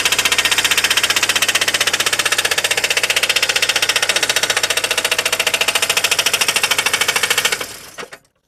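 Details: VAZ 2109 engine after fixing camshaft play: rapid, sharp metallic tapping at a steady pace throughout; internal knock of unknown source, owner wonders if the earlier camshaft play caused it.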